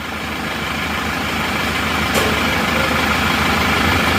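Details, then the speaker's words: Isuzu Panther LV Adventure diesel at idle: steady clatter with slightly uneven, lumpy beat of about three pulses a second, engine shaking at very low rpm; rougher than other Panthers, owner wants it smoother, cause not confirmed. "katanya kalau suara menurut saya emang agak kasar dibanding dengan mobil-mobil Panther yang lainnya ya"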